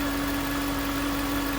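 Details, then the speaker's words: 2009 Range Rover Supercharged 4.2 idling: a steady clear whine first suspected as the supercharger. A mechanic's stethoscope on the alternator housing pinpointed a worn alternator bearing, and the alternator was replaced. "on the housing of the alternator. It was obvious that that's where the whine was coming from."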